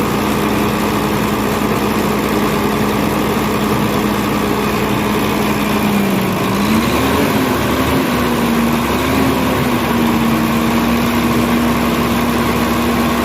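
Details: Volvo truck diesel after fixing a crank-but-no-start hard starting fuel system problem: steady idle that dips briefly and recovers, then settles smooth with no stumbling; healthy.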